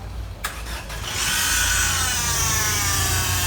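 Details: Citroën C4 1.6 16v petrol engine starts, then settles to an idle with a harsh, high whirring rasp from a worn accessory-belt pulley bearing, heard before timing and poly-V belt replacement.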